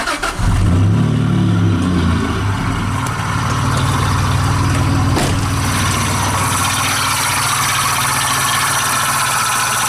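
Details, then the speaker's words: 1999 Dodge Dakota 3.9L V6 Magnum, before repair: engine catches and settles into a rough idle with a dry whirring rumble from the belt drive; idler pulley bearings shot, pulley to be replaced. "I have narrowed it down to this idler pulley right here and the bearings inside this pulley are shot so we're gonna replace that today"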